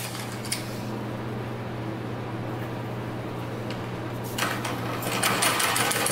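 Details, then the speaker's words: 2000 Cobra 50cc two-stroke racing mini dirt bike after fuel was poured down the carburetor: high, fairly steady buzz holding near full throttle and rising at the end; running freely. "I don't know if you guys saw that oh I think she's going full throttle right there oh geez oh gosh that scared me"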